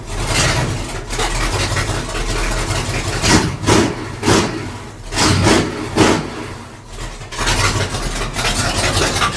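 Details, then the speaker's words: 1966 Chevy C10 V8 started with only a temporary 4-foot section of 3-inch pipe: very loud deep burble with throttle blips and crackle, way too loud open exhaust. "sounds pretty badass honestly it's way too loud but it sounds goodace yeah race car stuff"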